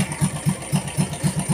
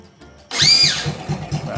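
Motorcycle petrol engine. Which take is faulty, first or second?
second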